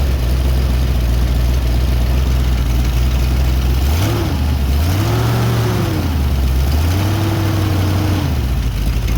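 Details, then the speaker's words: Rebuilt Ford 289 V8 after intake manifold leak repair, setting low idle: mixture screws turned in until near stalling, steady idle sags and recovers in three slow dips before backing off to smooth out; lean idle stumble from mixture setting. "Here I am setting the air-fuel mixture screws. There's one on each side. You want to do it with the engine level. If you choose to do so, you want to tighten it. And once the engine sounds like it is actually stalling, you're going to back off of it until the engine smooths out."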